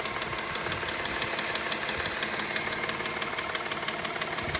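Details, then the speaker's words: 2003 Subaru Outback Limited with 318,400 miles and check engine light on, idling: sharp light ticking at about three per second following engine speed; cause unknown. "kind of clicking noise in the engine"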